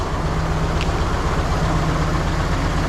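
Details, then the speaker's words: Nissan 240SX KA24DE after timing chain tick repair, with cylinder 2 and 3 spark plug wires swapped: an uneven, lumpy idle stumbling at about four pulses a second. Misfire from crossed plug wires. "My cylinder 3 ignition wire was in cylinder 2, and the cylinder 2 was in cylinder 3."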